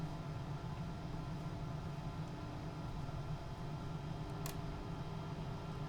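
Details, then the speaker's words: Grundig Transistor 1005 Automatic (Concert Boy) radio, about 1970–72, on AC adapter, switched on with no band engaged: steady low mains hum; replacement capacitors awaited, and the radio is already getting quite warm. "and it's well it's switched on but nothing is engaged and there's quite a bit of harm so I'll have to wait for the my capacitors to come in for this one"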